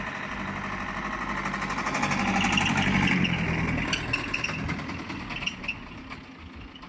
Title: Bmw 320d e46 making a weird knocking and squeaking noise than the engine cut out. Please help